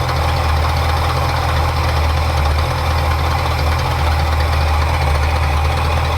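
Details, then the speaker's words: 1977 Ford Ranchero GT 351 Windsor 5.8 V8 with 3-speed FMX auto, just after carburetor rebuild: deep V8 idle with slightly uneven low pulse; owner adjusts idle air mixture screws, found one side too rich. "so change here other than the timing yeah it's the other side air idle air mixture"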